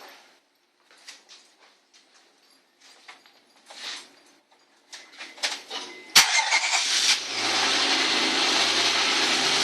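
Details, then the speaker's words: Honda Accord after installing a Zipmotor air intake (also fitted with a J2 Engineering catback exhaust): it cranks, catches and idles with a steady hissy intake roar, no misfires or knocks, and no check engine light. "No check engine light. Sounds great."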